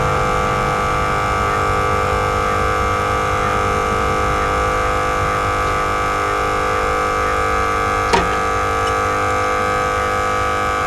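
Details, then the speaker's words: Mustang that overheated after 10 miles because its electric radiator fan wasn't working, after rewiring, key on: steady even electric hum at constant pitch, no rattle or surging; cooling fan now running normally. "now when I turn on the key the fan should start fuel pump is working how about the fan"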